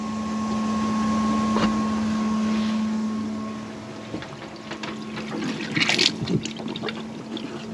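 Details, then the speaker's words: Bailey motorhome fresh water system, submersible pump switched on to prime with taps closed: steady low hum with faint high whine, fading as water starts trickling through; pump running normally. "So there's the pump, and we're going to prime her up. So you can hear the pump, submersible pump."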